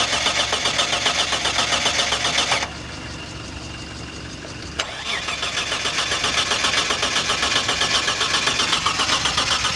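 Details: Mitsubishi Shogun V6: starter spins the engine at an even, quick rhythm of about four beats a second, pauses, then cranks again but never catches; cranks with no start.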